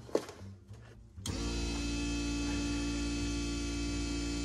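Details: Steady, even electric hum that starts abruptly and holds without surging on a flood-damaged Porsche 968 fuel pump fed 12 V directly; the pump works, but the fuel rail still isn't pressurizing.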